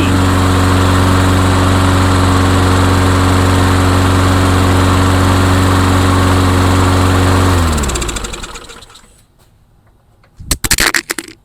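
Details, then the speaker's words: Briggs & Stratton-powered Craftsman lawn mower that did not run, now running after repair (intake gasket still to be remade): fires up easily, steady even single-cylinder beat of about four pulses a second, winds down smoothly at shutdown. "Yeah, this thing fires up really easy now. Really really easy."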